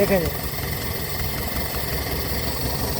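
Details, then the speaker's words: Toyota petrol car with long cranking, poor fuel economy and no power on climbs, idle: lumpy stumbling beat with irregular thuds and heavy engine vibration; misfire traced to faulty spark plug on cylinder 3. "गाड़ी start करें जी आपने मिशिंग देख ली कितनी ज्यादा missing है engine vibrate कर रहा है बहुत ज्यादा"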